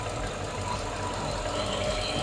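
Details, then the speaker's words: 2006 Mercedes CLS55 at idle just after Weistec 2.9 L supercharger install: steady, even idle with a faint fast ticking; sounds like an exhaust leak, possibly the block-off valve or supercharger, source unconfirmed. "Sounds like exhaust, huh? Yeah, it sounds like an exhaust leak, but Is it the block-off valve?"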